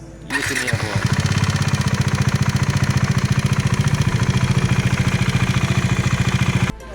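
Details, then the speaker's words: Bajaj Dominar 400 BS6, engine sound suddenly changed on a Gujarat road trip; steady chugging with hard, uneven pulsing beat, abnormal engine noise, cause unclear. "Gujarat के trip पे मेरी bike के साथ एक problem हो रही थी। आवाज़ अचानक से चेंज हो"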